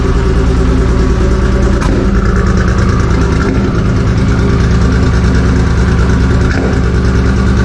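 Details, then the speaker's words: 2JZ inline-six swapped into a Z28: uneven lumpy idle with stumbling beat and sputtering pops, misfiring and running on only a few cylinders (about three); cause not yet found, being diagnosed remotely. "Not necessarily when it's popping and missing and sputtering right now, but it did have a really good deep sound"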